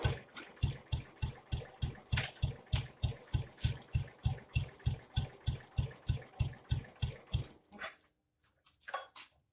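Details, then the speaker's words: Jacobsen Chief 800 lawn tractor pulled from the weeds after long storage, first start on an old battery with brake cleaner sprayed into the carburetor: the single chugs about three beats a second, then stumbles and dies. Owner suspects dirty old fuel and plans carburetor research. "Probably gotten down to the dirty fuel now. Yep, time for some carburetor research."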